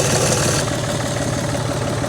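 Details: John Deere 5300 tractor diesel idling smoothly after a no-start with clicking was traced to the alternator; steady even low rumble, no knock or misfire, charging voltage now about 13.18 V and fluctuating as expected.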